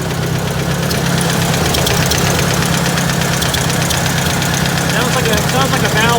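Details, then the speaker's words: Ticking at idle: a light, quick top-end tick about two to three per second over a steady idle rumble, like a valve tap; owner guesses valves are out of spec, cause not confirmed, no leaks seen. "like a valve tap, and it's probably out of spec. Would be my guess."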